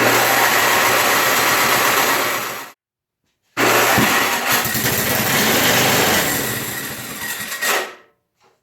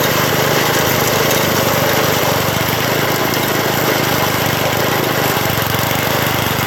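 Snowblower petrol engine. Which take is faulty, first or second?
first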